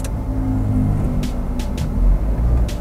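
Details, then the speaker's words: Nissan X-Trail T32 CVT after overhaul (originally whistling), stationary test selecting R again: steady low engine hum, no whine or squeal, CVT engages quietly; PRND has no trouble, normal CVT engagement. "Oke, hasilnya oke nih untuk eh PRND-nya enggak ada trouble."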